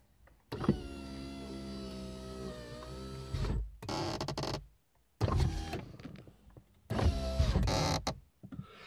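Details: Window regulator noise on a VAZ 2115: repeated whirring motor runs with a strained tone near the top of travel; tightening the door handle screw didn't help, removing the second window seal made the noise disappear.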